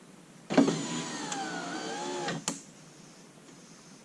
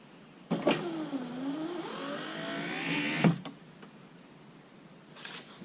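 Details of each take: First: Lincoln Town Car rear power window motor, bench-run off a battery with heavier-gauge wire after it had first popped as if stuck; a steady two-second whir ends in a clean stop thud, running fine though upward travel is a little slow. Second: Lincoln Town Car rear power window motor, run off a battery with heavier-gauge wire; a single slow upward climb of about 2.5 seconds ends in a thump. Up is a little slow but not terrible, and the window works.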